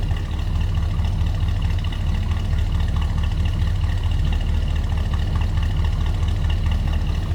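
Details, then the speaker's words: 1964 Ford Galaxie 500 XL fastback V8, fires right up and settles into a deep, steady, even burble through dual exhaust with no knocks or misses; normal idle. "Fires right up."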